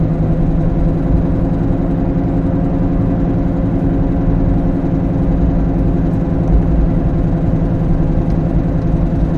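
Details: Steady low droning growl under road rumble while driving, increasing; suspected worn wheel bearing, not confirmed.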